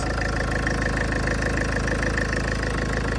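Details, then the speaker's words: Salvage Range Rover just after first start following a front-end rebuild, having started a little loud then gone quiet: quiet, even idle with a soft pulse about three per second and no knocks or ticks; healthy. "that sounds brand new that did you hear like it started off a little loud but then it went really quiet"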